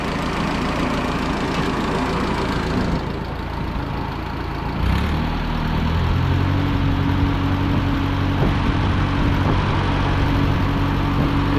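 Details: Oliver tractor with a miss on one cylinder (owner suspected number four), checked by exhaust port temperatures: engine settles partway into a steadier, cleaner beat with an even hum, running smoother than at start. Smooth running.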